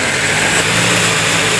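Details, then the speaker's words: Sewing machine motor running while winding bobbin thread, presser foot raised: steady, even high-pitched whirr with no knocks or rattles; normal running. "Sudah terdengar suaranya mendengung naik si dinamonya, dan kita akan tes mesinnya ini bising apa enggak ya."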